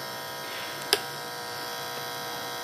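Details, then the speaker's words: Monster Cable HTS 1000 eight-outlet surge protector power strip, five years old, plugged into a 110 V outlet: steady loud electrical buzz with a bright edge and one brief click; continuous hum, cause unknown. "here's the plug and you can already hear it humming there's the hum that's very loud"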